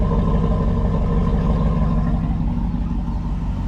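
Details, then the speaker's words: Early small-block Chevy V8 at cold idle, slow oil-pressure build and one noisy lifter, waiting to warm up: deep, steady, even exhaust rumble, a healthy exhaust note. "But, uh you know, it does have a good exhaust sound."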